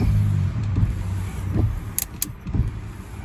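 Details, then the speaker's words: 2002 Ford F-150 after replacing a bad wiper motor that kept the radio and chime on: wipers sweep smoothly about once a second over a low idle hum, no grinding or clicking; washer pump also works. Normal wiper motor operation. "so now let's start up and see i'll just turn the ignition on and see if the wipers work they do see if the washer pump works it does"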